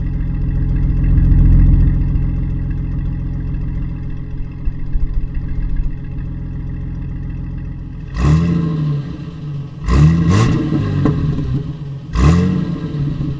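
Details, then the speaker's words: 1988 Toyota Land Cruiser FJ62 with new stainless exhaust replacing a rusted, holed system: deep even rumble swelling smoothly with each throttle blip, no rattles or leak puffs; healthy exhaust burble. "i was just trying to show you the little bit of a burble we're getting at this new exhaust it's pretty nice"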